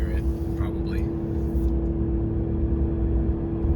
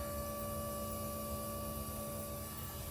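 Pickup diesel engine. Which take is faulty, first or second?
first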